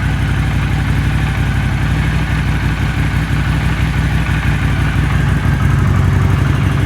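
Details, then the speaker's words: Warm CX 500 motorcycle after carb cleaning and bench sync (not yet vacuum-synced), idle screw set to about 1000 rpm: steady, even low thrum with no hunting. It previously needed choke to idle and smoked white when warm; both problems now gone. "so previously i could not get it to idle without the choke on and when it got warm it would skew a ton of white smoke so both those problems seem to be gone"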